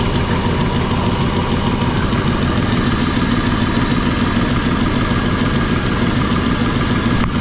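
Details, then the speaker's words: RV V8 engine idling after new spark plugs and wires, running smoother than before. A fast light clatter of about three ticks a second, sewing-machine-like, comes from the valve covers; the owner suspects a rocker, not crank bearings, unconfirmed. "sounds like I got something wrong with rocker or yourself"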